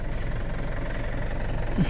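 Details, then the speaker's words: Isuzu D-Max four-door pickup diesel, idling just after starting; steady low diesel rumble with an even, unhurried beat and no knocks or misses, a normal healthy idle. "สตาร์ทติดง่ายครับผมโอ้เครื่องไฟตามขาอยู่เสียงยังดีอยู่ครับผมเครื่องยนต์"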